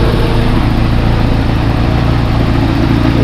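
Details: 1989 Toyota 4Runner, first start since oil change and broken motor mount replacement: loud, steady idle with a smooth even beat, no clunks or rattles from the mounts; engine running fine.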